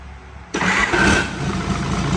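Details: Hino J08C/H07C turbo diesel, fuel system bled: starter bites and the engine catches at once, settling into a firm, even idle with no misfire or knock; healthy start.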